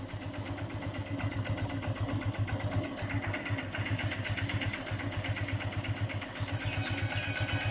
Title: cb shine engine noise problem